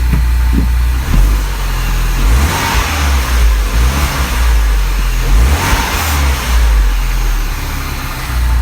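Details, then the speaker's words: Mini Cooper S, freshly changed oil with Rislone, revved a couple of times at idle: picks up cleanly on quick blips and settles back smoothly, no knocks or rattles; normal revving. "So far so good. Alright, I'm going to let it idle and then we'll double check the oil, and I'll get back to you guys after that."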